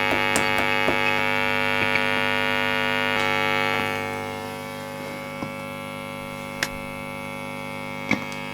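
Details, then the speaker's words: VOX AC30 C2 valve amp on the bench: steady mains hum broken by small, irregular pops and crackles, very sensitive to tapping; customer reports crackling that comes and goes, worse once warm. "i can hear a very slight change oh there we go did you hear that [Music] little kind of popping noise"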